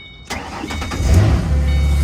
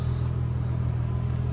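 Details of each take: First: Ford Mustang with 4.0 engine, starting up: cranks and catches, then a loud steady belt squeal over a smooth idle; the owner suspects the idler or tensioner pulley. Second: Ford Mustang 4.0 at idle after replacing idler and tensioner pulleys to cure a loud belt squeal: steady low hum, no squeal or chirp; accessory drive now quiet.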